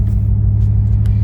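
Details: Ford Mustang S197 3V V8 after fixing leaking intake manifold gaskets and vacuum lines and replacing the fuel filter, which cured lean codes on banks 1 and 2 and a cylinder 6 misfire: deep, even rumble with steady pulses and no skip; a smooth, healthy idle.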